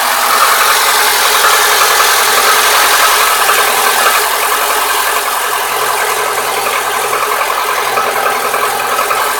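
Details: Lada Niva 21214, new car, cold engine at idle: light fairly regular tapping knock about three or four a second, localized to cylinder 4 on the manifold side, disappearing after full warm-up to 70–80 °C; cause unknown.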